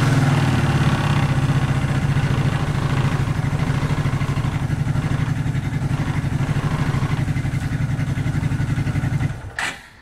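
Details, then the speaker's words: 1994 Suzuki Quadrunner 250 4x4 ATV single-cylinder, first start after sitting for years and a carb clean and rebuild: fairly steady, slightly uneven idle, then shut off. It runs and idles but needs tuning; old spark plug still in. "so i need some tuning i'd say but at least now it's running"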